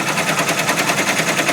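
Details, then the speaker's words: Brother PR1055 multi-needle embroidery machine after clearing a bird's nest and trim sensor error; crisp rapid clatter of about twelve even strokes a second, no stalls or grinding, stitching normally once fixed. "give it another go sounds good all good yay that's how you fix that"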